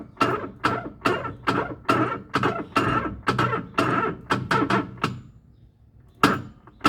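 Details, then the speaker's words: Electrolux LTE09 washer self-test: heavy clunks about twice a second during agitation, much louder with water; noise traced underneath to a worn agitation mechanism, which needs servicing or replacement; spin is normal. "Vimos que é um mecanismo então o barulho está aqui na parte de dentro provavelmente que nós ouvimos quando está com água bem mais alto"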